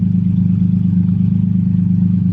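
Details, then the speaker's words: Nissan four-door 350Z-engined car, first start after a new engine swap, after fixing a loose injector plug and an untightened ground: a steady, even, smooth idle with no stumbles or misfires. "sounds perfect [Music] oh man she is purred like a kitten"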